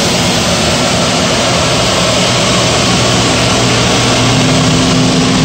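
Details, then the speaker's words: Power gas burner on a steam boiler with a ganged flue and new 24-inch barometric draft regulator, switched to manual override: relay clicks, then a roughly 90-second purge cycle before low and high fire; a steady, even roar with a low hum underneath, no surging or puffing. "you'll hear the relay click the burner will start its purge cycle which is about a minute and a half and it will start low fire and go to high fire and then we will watch the barometric work"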